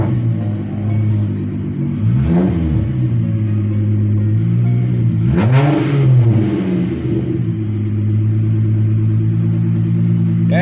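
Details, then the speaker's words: VW Mk3 VR6 with intermittent misfire and hard starting, coil pack suspected: even steady idle with two clean revs rising and falling smoothly, no stumble; not misfiring at this moment. "she sounds good. She decided not to do it now."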